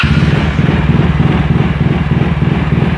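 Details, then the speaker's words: Yamaha Mio J scooter with stutter and MIL flashing 15 times: idle surges and sags unevenly before an ECU reset with a scanner. "ini langsamnya seperti kuda jingkrak ya nggak normal nih"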